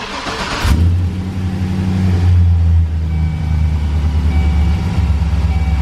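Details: 2006 Chevy Express work van with 340,000 miles, cats cut off, Magnaflow muffler and Speed Engineering shorty headers fitted to cure a bad exhaust leak, collector retightened: deep, even V8 idle, on the quieter side, no ticking or puffing. Normal idle.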